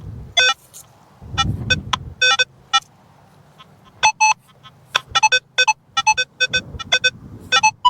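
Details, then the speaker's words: Nokta Legend metal detector in a park, 6-tone, recovery speed 7, iron filter 3, stability 5: sharp high beeps chatter between short low iron grunts, as buried rebar causes falsing and makes pinpointing hard. "It's a shame that there's so much rebar in here. Even though it's iron and you can hear that low grunt for it, it's causing some falsing too."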